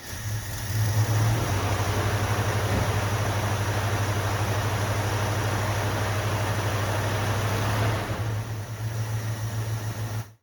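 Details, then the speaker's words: 1974 Plymouth Duster 318 V8, revived after years sitting, running after fuel system repairs with temporary fuel setup: deep, even burble at steady idle with no misfires or knocks before shutting off; runs smoothly, no fuel leaks seen. "doesn't actually seem to run too bad not seeing any leaks all right let's fire it up again"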